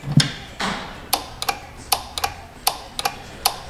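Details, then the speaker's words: 2015 Kia Sorento 3.3 GDI with an intermittent crank-no-start, previously failed dealer repairs, fuse box damaged; crisp paired clicks about every 0.75 s as the engine relay is switched on and off by command, pointing to a connection issue. "so let's turn in the relay on and off obviously we can all see that right"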